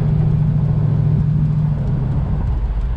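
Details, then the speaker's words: 1970 Dodge Challenger convertible V8, automatic, dual exhaust, driving over a speed bump: deep steady rumble with no rattles or clunks from suspension, body or windows. "but you can listen for rattles i think mainly you're going to hear the windows it's coming up right here right here didn't even hear the windows that time"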